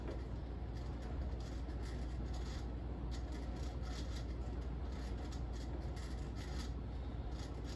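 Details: 38-inch Fasco World's Fair Model 948 ceiling fan, July 1982, turned up in speed: steady deep rumble with irregular light scraping ticks; rubber flywheel worn out and bearings bad.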